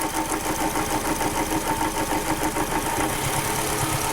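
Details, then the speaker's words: 2006 Toyota Camry, rough running with check engine light on; spark test with screwdriver to ground shows the coil gives no arc; uneven, stumbling idle with a choppy irregular beat and hiss: misfire from failed ignition coil. "so right there we just confirmed 100 that coil is bad uh we've got no Arc coming out of the coil itself like it's supposed to"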